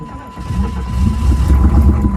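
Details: 6.5 turbo diesel truck in cold weather, with the engine at 29 degrees and its fuel line pre-warmed with a MAP Pro torch. After a brief crank it catches almost at once into a deep, steady diesel rumble with a little smoke, a normal quick cold start.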